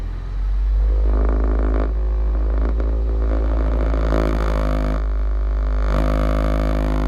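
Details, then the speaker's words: 2009 Honda Civic 1.8 at idle: deep steady low rumble with droning vibration felt through the dashboard, sounding like exhaust drone; cause was a worn, fluid-leaking hydraulic engine mount, replaced with new. "Okay, so the problem is engine mount, so we're gonna quickly replace it and it should be good."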